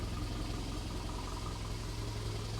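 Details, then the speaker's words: Unimog engine, just installed with a new radiator, that earlier wouldn't run (coil issues suspected) now warms up with temperature rising: a steady, even low idle beat with no misses, knocks or hunting. Normal warm idle. "Yeah, temperature's rising. Good. Sounds good. Sounds great."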